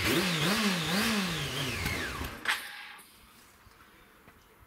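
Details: Honda CBR 600 fuel-injected engine, airbox off, cleaned, owner believes it was running on fuel; catches and revs unevenly for two seconds, pitch wobbling, then stalls, with the earlier cracking/rattle noise returning, cause unknown.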